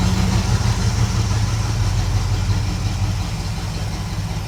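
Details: 1976 Chevrolet K20 3/4-ton 4x4 truck, V8 idling outside to burn off deposits, not fully warm; deep, smooth, even idle. Carb not yet vacuum-gauge tuned.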